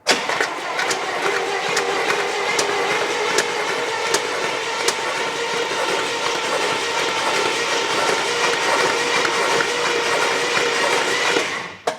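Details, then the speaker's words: 1964 Buick Electra engine seized 25+ years, first starter crank after freeing, sludge blowing from a cylinder: uneven loud bangs every half second over starter churn from a stuck passenger-side lifter popping as the cylinder rises. "But I don't know if you could hear it, but there was some loud banging."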